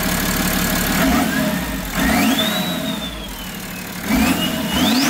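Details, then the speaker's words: BMW M57 3.0 twin-turbo diesel inline-six swapped into a VW LT40 4x4, drive-by-wire, about 700 rpm idle, started immediately: smooth revving blips with turbo whistle rising and falling, no knock; healthy. "amazing yeah a lot of choo-choo noises"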